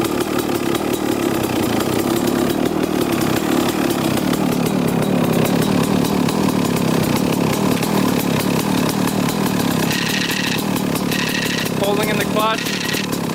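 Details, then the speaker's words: 1995 Kawasaki KX250 two-stroke, first start after sitting, following oil change and carburetor cleaning: rough idle, then a raspy grinding buzz while the clutch lever is pulled in; owner suspects a dented, JB-Welded, oil-leaking clutch-side cover. "all right so there's that definite grinding sound you can hear when pushing in the clutch or when pulling in the clutch"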